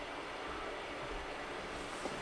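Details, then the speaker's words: AMD RX 570/580 graphics card bought from a liquidation seller, running a game benchmark at 1080p with no vsync or frame cap at about 28 fps: a steady, even rushing hiss as the cooling fan spins fast and loud under load. "it is a quite loud of a card though um it's running the fan is pretty loud it's doing what 28 frames per second right"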